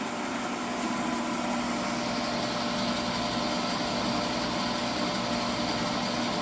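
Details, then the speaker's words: 1985 18-inch bandsaw after replacing both belts, runout cut from about six thou to around four, no longer shaking: steady, even hum of constant pitch, no thumping or wobble; normal running. "and there we have it we're down to around 4, run out now this is perfectly acceptable I've used it to cut it's not shaking it's not noticeable at least anymore like it was it was crazy"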